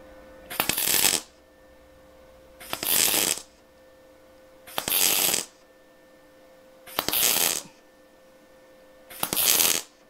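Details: MIG tack welding thin car body sheet butt joint at 60 A, 17.5 V, inductance 4 (raised from 16.5 V, inductance 3 for flatter, wider tacks): five even crackling bursts about two seconds apart, steady frying sizzle; clean, consistent tacks.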